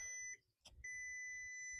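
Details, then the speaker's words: VW Caddy after a 2.0 SDI to 1.9 TDI PD (BLS) conversion with a whole-loom swap, at ignition on: two long steady high-pitched tones in a quiet cab, with all warning lights on because plugs are still disconnected. Dashboard warning chime. "It's got all warning lights on because there's loads of stuff that's still not plugged in yet."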